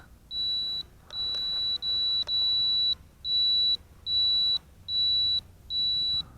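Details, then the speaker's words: Eachine 3D X4 quadcopter after pressing left then right button for inverted flight: shrill high beeps about every 0.8 seconds, eight in a row over faint motor hiss, signalling inverted flight mode before the flip. "to flip it upside down you press the left button first and then the right button then you'll hear a beeping"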